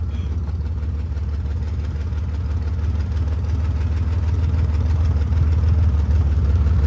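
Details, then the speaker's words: 1963 Chevy Corvair run for the first time in years, rolling on the clutch in low gear with no working throttle or brakes. A steady, even low rumble with no knocks or misses; a smooth, normal idle. "No throttle. It's weird driving is with no throttle or brake."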